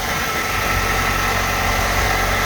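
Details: 2006 Hyundai Elantra started right after valve cover gasket replacement and valve cover repaint: steady, even idle with a light hiss, no ticking or hunting; running smoothly.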